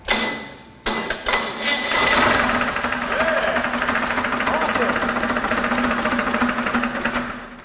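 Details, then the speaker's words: Barn-find 292 GM inline six for a '36 Chevrolet panel truck, run on a pallet stand after resetting the distributor and timing: a loud, uneven bottom-end knock three or four times a second. Oil pressure nearly 40; the owner suspects a dented oil pan, not confirmed. "That did not sound good. was that a knock? That was a knock."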